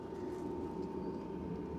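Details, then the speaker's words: LF Bros diesel heater, still working after being flooded by freezing water in a Canadian winter: end of start-up ramp as the fan speeds up and diesel feed begins; quiet, smooth fan rush with steady faint tone, no pump ticking; running healthy. "So I don't know if you can hear it right now, but it's just nearing the end of that ramp up where it starts to speed up the turbine and it starts putting diesel in. It's actually now, so this is pretty darn quiet."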